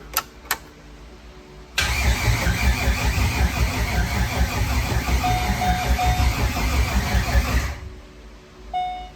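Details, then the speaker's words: C5 Corvette drift car build, first start attempts after fitting a new battery (owner suspected the grounds or an undersized battery): strong, even starter churn for about six seconds at a steady beat; normal cranking, engine spins freely. "Well, that saved it. It works now. It spins."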